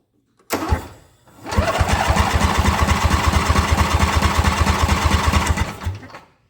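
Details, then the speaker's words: Ariens EverRide Hornet zero-turn mower, 25 hp Briggs & Stratton twin, cranking at an even steady rate during a compression test; about 160 psi on the first cylinder, with leak-down within 10%, healthy compression. "compression so we got like 160 lbs of compression"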